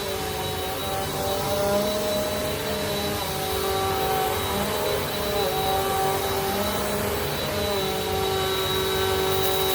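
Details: Refurbished 2017 Bissell Powerforce Compact 2112 on pile carpet after freeing the brushroll bearings and adjusting the filter assembly for a wind-down howl: a steady, even motor whine and smooth brush drone with no rattles. It runs healthy.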